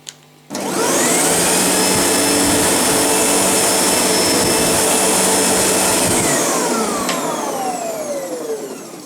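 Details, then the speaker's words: Sebo G1 upright vacuum, after repair for vigorous vibration and clunking: the motor spins up to a smooth, steady high whine with no wobble or rattle, then winds down evenly. Now running normally. "there is no vibrations now that's for sure"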